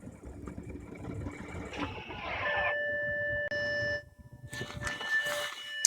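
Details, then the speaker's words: 2013 Audi A6 Prestige, electronic parking brake engaged, then engine switched off; a thin electric whir starts and stops in short spells. Owner suspects the parking brake cycling, not the fuel pump; not confirmed. "what I'm convinced is making that noise is actually the cycling on and off of your electronic parking brake I'm convinced it's not the fuel pump because the fuel pumps should not make that much noise"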